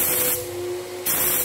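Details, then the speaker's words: Graco 9.5 Pro Contractor HVLP turbine with Edge 2 Plus gun spraying water-based paint: steady turbine whine and air hiss; pulling the trigger drops pressure, hiss and pitch sag, then climb back as pressure rebuilds. "So, as well when I'm spraying, if you can hear that, as soon as I pull that trigger, there'll be a drop in pressure and then it builds back up."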